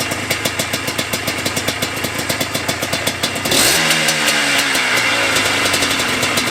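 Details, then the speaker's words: Yamaha Blaster 200 two-stroke ATV, TORS system deleted, after adjusting the carburetor air bleed screw: crisp even idle popping about 3.5 beats a second, then a clean rev without stumble; normal idle (fuel leak remains). "Right there is play with the air bleed screw, which is here in front of the carburetor, and now it is much happier."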